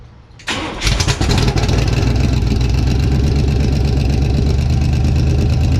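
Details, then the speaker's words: 1952 Ford rat rod on first start with fuel poured in the carb, open headers without stacks; quick crank, catches at once, settles into a loud, steady, even idle — normal start and idle. "well that's impressive thing sounds great and double check the oil level and I'll get some transmission fluid out here but this thing sounds ridiculous"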